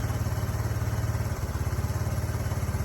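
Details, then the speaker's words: 2005 Honda Lead SCV100 scooter, warm after a test ride, following the idle and carburettor adjustments: steady low putter, even and unbroken, sounding much better, and the owner says it has more pull; normal idle, problem apparently fixed. "She sounds a lot better. And on top of that, she's actually got way more pull as well. Definitely. So, yeah, I think we fixed the problem."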